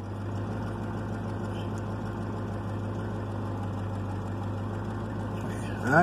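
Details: 1996 Chevrolet Caprice after installing a passkey bypass module wired to the PCM fuel enable wire, with no key fault now; steady, low, even hum with a smooth unbroken rhythm and no misses or knocks; idling cleanly.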